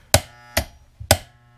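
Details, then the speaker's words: 240 V HVAC compressor contactor: three sharp clacks as it cycles, then a faint steady low hum from the electromagnet coil pulling in the contacts, which is normal. "you can hear the coil buzzing in the contactor that's because it's magnetically it's an electrical magnet uh pulling in the uh contacts sometimes if you turn them on and off you can get them a bit quieter"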